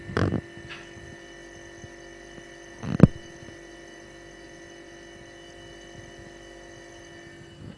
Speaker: 另外，通过听压缩机运转时的声音，也可以大体判别压缩机是否工作正常。压缩机在正常工作时，应有比较小的嗡嗡声。